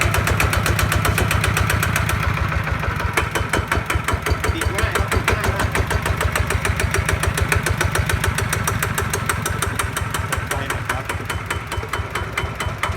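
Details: New Kawama 9.5 hp single-cylinder diesel engine for a walk-behind tractor. It chugs in a steady beat, easing from high idle down to a slower low idle, even and clean with no knock. Normal running.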